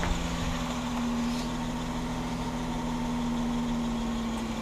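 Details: 2005 Ford Escape idling right after fuel filter install: steady even low hum with no misses, ticks or knocks, smooth stable idle; no fuel leak, warning light now off, running normally.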